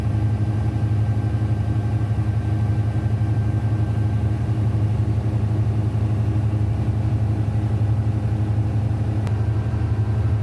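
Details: Denyo DCA610SPM diesel generator running after no-start repair, magnetic pickup and wiring tested good: steady even thrum at constant speed, about two beats a second, no knocks or misses; running healthy.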